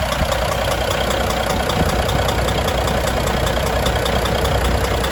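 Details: Volvo FH600 16-litre D16 diesel, first start after repair of rust in cylinder six and a bent valve: steady, even idle with smooth low rumble, no knocks or misses.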